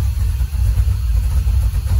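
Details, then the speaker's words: Monza just fully rewired with a Painless Wiring kit, air possibly in fuel lines: deep lumpy, loping idle as if on four cylinders; misfire from rich running traced to wrong injector settings. "only got 12 volts yeah i might have to crank the truck or not sounds like it's only running on four cylinders"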